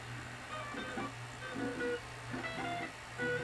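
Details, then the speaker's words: Sony SL-HF360 Betamax VCR playing back tape after cleaning the audio/control and erase heads: guitar music with level dipping and recovering about every second, tracking control having no effect; intermittent audio dropouts from lost tracking, control track pulse suspected. "okay, we can hear it cutting in and out because it's not tracking."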